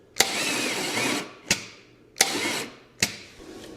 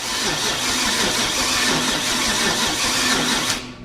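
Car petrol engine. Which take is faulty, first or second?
first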